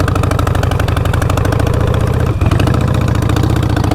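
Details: Harley-Davidson with both front cylinder exhaust nuts and clamp bolts gone: loud uneven lumpy idle with sharp rapid puffing chuffs on each firing pulse, popping under hard acceleration; exhaust leak at the front cylinder.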